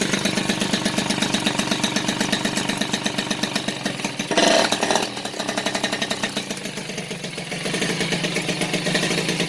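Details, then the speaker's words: Rebuilt Peugeot 103 RCX moped two-stroke, first start after reassembly, carburetion not yet tuned, choke still pulled: quick crackly beat, slightly uneven and rich. "là le starter est toujours tirée"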